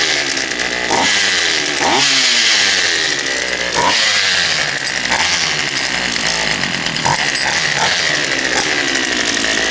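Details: Poulan Pro 222 38cc chainsaw after the fuel lines were re-routed correctly and a new air filter fitted: it fires and holds a crisp, buzzy high-pitched run, revving up and down cleanly several times without stumbling. Healthy running.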